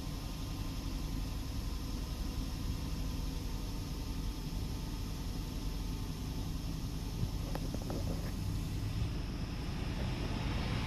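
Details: 4x4 engine after an internal chemical cleaning without pan removal and a reseated spark plug wire: quiet, even idle rumble with no knocks or ticking, just a couple of faint clicks; sounds healthy.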